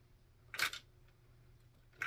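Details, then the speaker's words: Axial Ryft RC crawler, front differential turned by hand: two short bursts of sharp clicking about 1.5 s apart, unlike a smooth healthy one; front diff is gone, to be taken apart and repaired. "now we're gonna take it apart front diff gone you you can hear yeah hear that"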